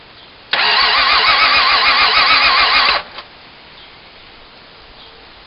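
About two and a half seconds of even, rapid starter cranking at roughly four beats a second that never catches; it turns over but won't fire.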